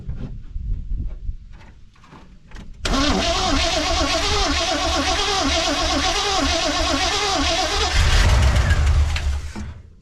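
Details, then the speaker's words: 1979 Chevrolet C10 V8 that sat for 5 years: brief cranking, then it catches and settles into a fast, fairly even idle before a blip. No bad noises, only slight squeaks; it starts after long storage. "That sounds good. There's no bad noises. Yeah. A little squeaky here and there, but it may be from..."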